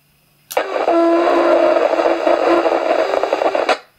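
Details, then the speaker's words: Yaesu FT-817 radio keyed up on VHF with volume raised: steady mid-pitched whistle with higher overtone over hiss in transmit audio, with crackling and whining. "let's give you a bit more volume and see we get that whistling noise"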